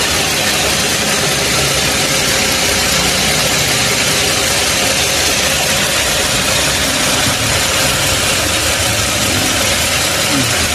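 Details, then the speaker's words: Toyota Camry 3.5 L V6 2GR, about 100,000 km, after overhaul for a clicking knock, being run in after reinstallation: even, steady idle with smooth hiss, no knocks or ticks; normal idle. "Đây là động cơ. Hoạt động rất trơn tru. Nó đang kêu gừ gừ như"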